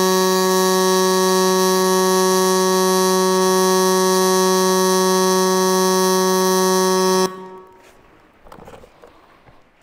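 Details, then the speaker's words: Millermatic 255 on pulse MIG with 90% argon/10% CO2 shielding gas, running a bead; steady, fast, even pulsating buzz for about seven seconds until the arc stops, normal pulsed MIG arc. "I just switched the machine over to pulse Mig just going to run a bead profile here give you an idea like you can hear what it's doing you can hear how it's pulsating"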